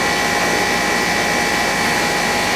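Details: AC unit on a no-cooling service call, now running: a steady rush of fan air with a faint constant compressor hum, no rattles or surging. The line is sweaty and cold and hot air is discharged; the condenser runs normally.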